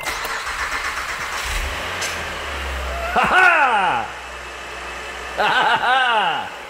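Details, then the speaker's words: 2008 Acura TL, J32 V6: two start attempts catch and rise in pitch under a second then die; crank sensor plug not staying connected where the broken belt wore through the timing cover. "yeah okay i know what's going on now but that engine is okay eric what'd you do well i went and i messed around i could just get through where the timing cover was worn through from where the belt broke to the bottom of the plug on that crank sensor and that thing is just not staying connected"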